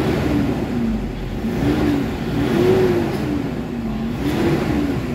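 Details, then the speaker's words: Toyota Hilux with low engine power, revving freely after XADO engine treatment. It revs up and falls back cleanly several times, pulling eagerly with no hesitation; it now comes in around 1,400 rpm versus 3,500 before. "Kanina 3,500 magagalit na yung makina, pero ngayon ayun yung galit niya marinig mo talaga, ibang iba na kaysa kanina."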